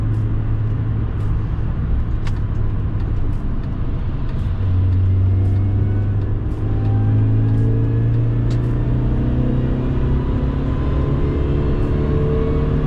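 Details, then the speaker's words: Mini Cooper R53 supercharged engine on the road after fitting a 17% supercharger pulley and new belt tensioner, deep pull with pitch climbing smoothly, no knocks or rattles; normal strong acceleration. "You hear the engine noises now, and see for yourself how well this pulls."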